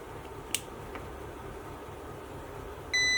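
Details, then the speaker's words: Hybrid inverter after workshop repair of its power supply (degraded transistor gave PWM controller ~4 V), powered up with original transistor, PWM controller now 17.3 V: quiet hum then steady high-pitched beep, error 01 because cooling fans aren't connected; won't start without them. "Тут помилка 0,1. Це свідчить, що не підключені вентилятори. Він без них не запускається, поки їх не побачить."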